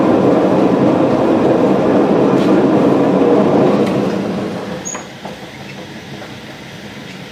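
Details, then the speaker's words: Potter's wheel with Lotus wheel head, air-switch controlled: loud rough rumble at speed that eases as it slows; worn wheel head bearing at the top. "well that's what I mean by noisy bearing now if you hear that noise I don't think that's a very good sign"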